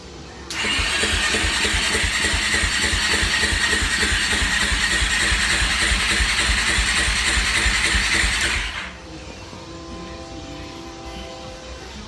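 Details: Suzuki LTZ400 quad cranks but won't start after a new stator was fitted; spark plug shows good spark. Steady, even starter cranking about three pulses a second for eight seconds with no firing at all; owner fears the timing is off.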